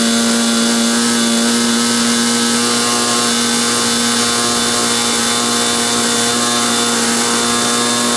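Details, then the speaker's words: Glow engine on SIG Kadet LT-40 during first break-in run on restraint: steady high buzz at one pitch with a rough, fuzzy edge and no clean scream; mixture obviously too rich, restarted. "okay that was obviously too rich start it up again"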